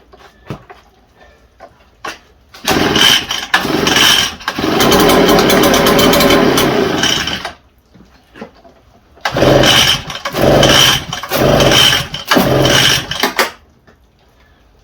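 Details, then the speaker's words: Echo TB580T two-stroke blower: short bursts catching for one to a few seconds then dying; hard starting, won't stay running; owner suspects a rotted fuel line in the tank, fuel heard pumping back, stinky fuel with old fuel suspected in the tank. "I wonder if we got a fuel line that's rotted off in the tank. I've seen it happen before. It sounds like it's pulling fuel, but I hear it pumping a lot back into the tank."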